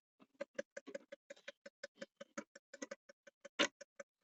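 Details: 2005 Opel Vectra C, ignition on, behind dash under passenger airbag: quick irregular plastic ticks, about twenty in four seconds, recurring constantly; recirculation flap actuator clicking, suspected stripped gear.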